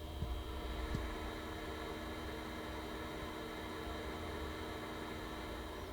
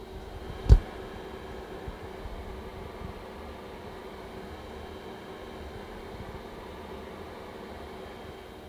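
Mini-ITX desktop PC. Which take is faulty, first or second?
second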